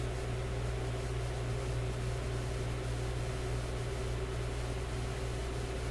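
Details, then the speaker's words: Grundig 2540 AM/FM/SW tube radio warming up during FM section troubleshooting: steady low hum with no clicking or crackling, after clicking thought to come from speaker wire lead touching a resistor; normal operation, no clicking. "But let's give it another go. Here we go. No clicking."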